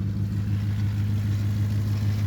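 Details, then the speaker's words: Ford truck with miles in the high 120s, started on a jumper pack, exhaust broken in half underneath: deep, even low drone idling down with good oil pressure, no check engine light, no misses or knocks; sounds good, normal idle. "it's idling down it's got uh good oil pressure up there it's got fuel that's nice I awesome hell yes it actually sounds good"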